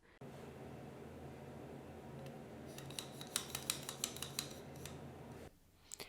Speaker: so that's what it should sound like there's no squeaking there's no intense resistance as you try to move it back and forth